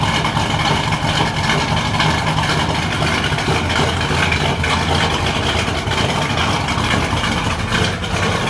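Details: Freshly built 383 Chevy V8 in a 1964 El Camino, early start-up: deep, throaty, even idle with light mechanical clatter and steady firing, a little noisier than hoped but healthy.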